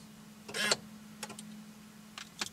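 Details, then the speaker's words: Faint steady hum with a few sharp clicks and brief whirs as the key is pulled out of a C5 Corvette, Tech2 showing ignition off locked; the column lock actuator cycles normally. "and you heard the actuator work and now it says ignition off locked and the wheel is now locked"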